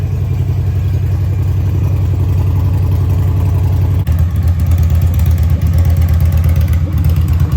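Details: 2003 Victory Vegas 92ci/1507cc V-twin with slip-on mufflers removed, after warming up: deep, loud, lumpy beat surging as the throttle opens; open pipes are very loud, engine runs fine.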